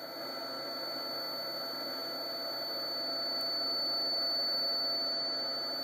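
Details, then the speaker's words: Ultracapacitor power pack discharging through an inverter at about 130 W with resistive loads, near 10.6 V: steady high-pitched squeal and constant hiss from the inverter, low-voltage warning before shutdown. "we'll just see where this thing goes until it shuts itself off but you can hear the inverter squeaking at me"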